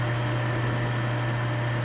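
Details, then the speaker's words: Oil-test rig (rotating ring on a stationary specimen) running Cerma STM-3 additive oil at 12 weights, the rig's rated load; steady low hum with an even hiss, no knocks or squeal, never made a sound. "okay uh all right 12 weights Sur up never made a sound you saw the saw the pressure Mark"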